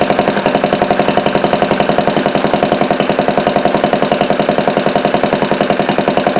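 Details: Homemade overhead-valve antique single-cylinder Briggs engine, running on a replacement shelf carb in place of the dirty original. Quick, even popping beat at a steady speed with no misses or stumbles: normal running.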